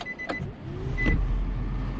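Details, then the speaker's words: 2016 Nissan Versa after blower motor replacement: a couple of clicks, then a hum rising to a steady even whir with plenty of airflow on all speeds; normal blower operation. "I can hear it. And yeah, it feels it feels perfectly normal. Plenty of air blowing. Got all the speeds."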